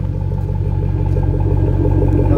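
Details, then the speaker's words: Truck after installing a Silverado transfer case and welding in a custom exhaust: deep, even tailpipe rumble with a steady low throb, no rattles or leaks; normal exhaust note. "just sounds so much better so there it is how it turned out so far"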